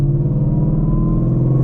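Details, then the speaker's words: Car with a Calimer Stage 3 transmission with custom straight-cut gears and a Whipple supercharger: steady low growl with a clear whine climbing slightly with road speed while in gear, gone in neutral; normal gearbox whine, not the supercharger. "So, one thing that you might hopefully picks up on this is there's a big whining sound. That's not the Whipple that's whining. That is not the supercharger. That's the transmission."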